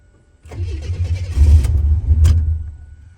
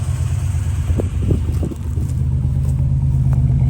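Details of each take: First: Abandoned 32,000-mile Buick Grand National turbo, cranking to build oil pressure with computer disconnected: slow crank for about two seconds, then uneven fuelled bursts as it tries to fire; cause unknown, owner baffled. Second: 1-owner 32,000-mile Buick Grand National turbo V6, abandoned in a back yard, started on a new battery: deep, steady low idle rumble that stays even with no knocking or misses; sounds good.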